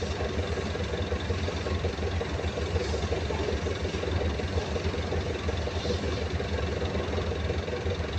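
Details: Perkins 2206-series diesel generator idling with a steady low rumble and a dull, somewhat uneven knock about once a second; intake side and air compression to be checked; cause not identified.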